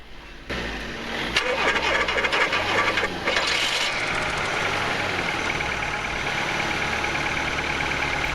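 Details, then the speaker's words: VW Golf Mk2 automatic, first start in years, jump-started from helper vehicle, coolant reservoir empty: brief crank, catches and settles to steady even idle without knocks, alternator charging; normal cold start. "as we can see it started actually relatively easily and the alternator is also charging the battery so that's a good sign"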